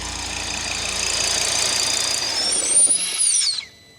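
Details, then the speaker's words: Salvage Audi TT RS, 2.5-litre 5-cylinder, at idle: thin high whistle rising and falling over a hissy idle, heard mainly around shutdown; no engine light, and the whistle is attributed to a failing vacuum pump. "mainly when we turn it off cuz I think it makes a funny noise we're listening for a whistling"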